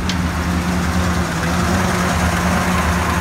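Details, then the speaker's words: 2014 Ford F-250 Super Duty 6.2 V8 at startup, check engine light on; rough lumpy idle with serious knocking under the hood, multiple-cylinder misfire traced to a broken exhaust valve spring. "so I'm gonna go ahead and start it I don't know if you can hear that a check engine light is on and man there's some serious knocking noise going on underneath the hood"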